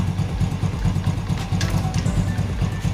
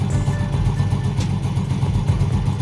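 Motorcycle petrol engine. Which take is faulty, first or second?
first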